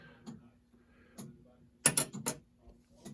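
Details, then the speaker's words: Gottlieb Panthera pinball in test mode 16 (lamp test): crisp relay clicks, single and in quick clusters about once a second over faint hum; relays cycling normally. "can hear it cycling the relays, and now it goes through and drives all the lamps."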